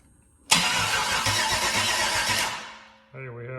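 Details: LS 6.0 V8, about 150k miles, first start attempt since purchase on a makeshift fuel supply: starter grinds steadily for about two seconds but it never fires; crank, no start, battery suspected too weak to spin it fast enough.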